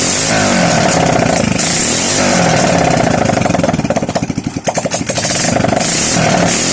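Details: Honda XRM 125 single-cylinder after overhaul with new connecting rod set: catches and settles into fairly even idle with a brief blip, no metallic knocking; normal idle.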